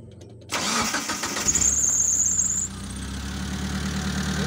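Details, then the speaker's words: Mitsubishi Colt T120 SS fuel-injected engine after the failed spark plug was replaced: cranks briefly, catches at once and settles into a steady, even idle with no misfire or stumble, running normally. "Sekarang ini sudah normal, teman-teman. Semuanya berjalan normal."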